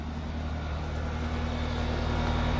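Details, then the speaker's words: 4-ton heat pump in cooling mode, fitted with a new soft start, running on solar/LiFePO4 power. A deep, steady compressor hum swells gently as it comes up to speed, with no rattles. Running normally. "It says cool on. No, it sounds like it's running."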